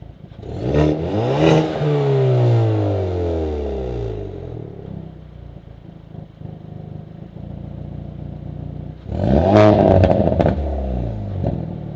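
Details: Hyundai Veloster N with Depo Racing catless downpipe and JB4 tune, N mode, recorded in cabin under hard acceleration: loud raspy exhaust climbing in pitch then dropping on lift, no leak sounds; normal exhaust note.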